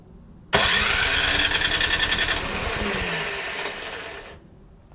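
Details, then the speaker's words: Troy-Bilt Storm 2410 snowblower, Power More engine, sat all summer with stale gas, after a carburetor clean: after the pull, with choke, it sputters roughly a few seconds and dies, flooding and spraying gas; a fault missed during the carb cleaning. "okay after I was messing around with it and it wouldn't start and it was flooding and spring gas everywhere it dawned on me what the problem was"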